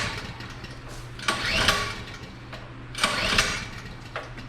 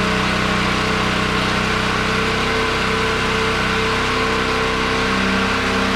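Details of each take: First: Generator unused for a while, pre-hurricane check set to run on propane, breakers off; two rough pull-cord strokes each whirr briefly without catching. Owner unsure whether choke or a propane valve/lever is needed; cause unconfirmed. Cranks but won't start. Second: Generator weaned off propane and running on old gasoline, charging its battery from 10.9 V to about 12.5 V after a hand-crank start; constant, even drone with steady pitch, no surging or hunting under load: normal running.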